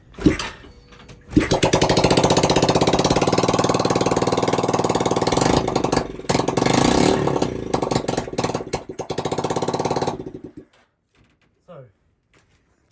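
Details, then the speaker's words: Yamaha YBR single-cylinder engine on its new EFI setup, kick-started with no exhaust fitted and the electric starter spinning the wrong way; it catches into a loud, raw bark with pops from the open port and runs steadily until shut off. Normal running. "if we kick it starts up as far as and it starts giving some nice pops because there's no exhaust on it right now"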